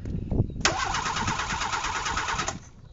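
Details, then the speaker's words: Renault 4 (F4) wreck, starter fed by battery wired directly because thin cables were suspected of passing too little current: sharp click then strong, fast, even cranking for about two seconds; starter now spins the engine normally. "Voilà. Bon. C'est bon, Ça marche. ça tourne."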